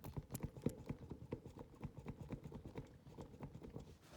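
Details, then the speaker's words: 2004 Polaris Predator 500 being rebuilt, engine off, front wheel rocked by hand: irregular hollow clunks from loose play in a worn wheel bearing, despite new ball joints. "that's all in my wheel bearing so yeah let's see it again you guys can even hear it too here"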